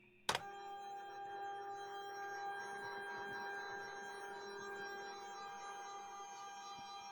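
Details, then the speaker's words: Used Lulzbot Mini 3D printer during a test move: steady, shrill multi-tone stepper whine. The owner suspects too much current going to the stepper drivers. "it's noisy but I think that's because there's so much juice running to all those drivers"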